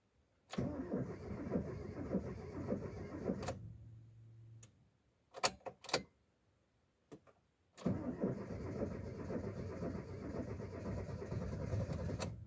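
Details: Mitsubishi Lancer: two long cranking spells, each a few seconds of even churning with no catch or rise into idle. It cranks but won't start.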